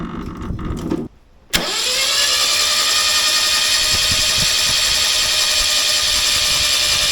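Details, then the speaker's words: Old scrap Toyota 18R engine for a HiLux, sump filled with petrol-diesel mix, starter bolted on, cranked to flush the oil galleries: a click then steady even starter whir with no catch; plain normal crank. "And we'll just crank it and let it prime. And see if we can get some of the oil to the, well, not oil, petrol-y diesel, to the top."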